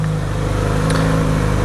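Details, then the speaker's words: Kawasaki Z900RS cold warm-up: high cold-start idle (about 2500 rpm, 1750 deemed adequate) turned down by hand using a throttle clamp hack under the brake lever; steady, even, low smooth four-cylinder idle. "i can turn the idler right down by reversing the throttle it's a it's just basically a crewed version of what the screw underneath the tank does"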